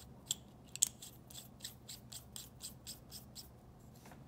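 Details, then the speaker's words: Mechanical pencil threads turning with soft, dry scraping ticks about twice a second. The metal-on-metal squeak is mostly gone after wearing the threads in. "most of that squeak is gone so pretty helpful"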